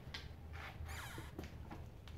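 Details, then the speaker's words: 2010 Hyundai Sonata rear suspension, rear knuckle (pillow ball) bushing on the lower control arm twisted slightly by hand: short high creaky squeak from the torn bushing, which needs replacing; suspension bushing squeak. "turn it just a little bit it's like torn and it's squeaking so even though I heard it with my stethoscope way down on the other side it's funny how noise travels"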